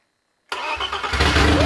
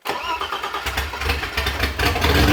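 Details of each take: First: BMW E30 325i M20 engine, first start after fitting a ported, polished and valve-lapped replacement AMC cylinder head. It cranks and catches after a pause, then runs loud and uneven with a ragged, lumpy idle; cause unknown. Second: BMW E30 325i M20 at first start after fitting a reworked aftermarket AMC head, ported, polished, valve-lapped and gasket-matched. About two seconds of cranking, then a smooth, even idle with a raw open-pipe note; it runs better than on its first attempt.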